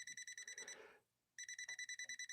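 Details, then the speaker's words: Machine from London run through a step-up converter, tester on the incoming power cord: fast even beep drops out about a third of a second then resumes; intermittent power, loose wire in cord suspected; motor already tested good via bypass. "we can also check the power cord right here that's coming into the machine see what i'm noticing there we could have a loose wire in there couldn't we we're getting power there we're not getting any power wait wait a second now we are"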